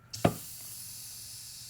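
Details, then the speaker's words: Automatic transmission failed within 800 miles after purchase, teardown air check of third/fifth/reverse clutch: sharp thump then faint steady hiss, a normal small bleed leak; piston not cracked. "Now you hear that little leak? That's normal, and I'm going to show you where."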